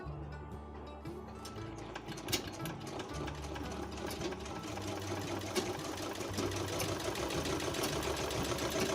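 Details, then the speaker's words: Treadle sewing machine after adjusting the tightness of the treadle rod so it moves freely: it runs evenly at about three stitches a second, and the clacking from underneath is gone. "দেখেন এখন যে নিচে একটা শব্দ হইতো এখানে, এই শব্দটা এখন চলে গেছে, এখন আর শব্দটা হচ্ছে না।"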